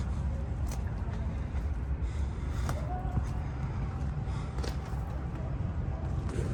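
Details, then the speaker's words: Rebuilt First Gen, heard from inside the cab: low, even idle rumble with no ticks, knocks or misses; the cab is quiet and the engine runs smoothly after the rebuild. "Let's get her licked, boys. She's running like a fucking pocket watch."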